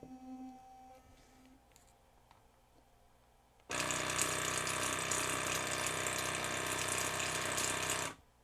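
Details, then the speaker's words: Waterpik SF-03C/SF-03W cordless flosser that had intermittently stopped working, floss button pressed: about four seconds of steady hissing spray with fast even pump pulse, stopping cleanly; operating normally. "I just don't quite know what to do with this thing at this moment because it is actually working"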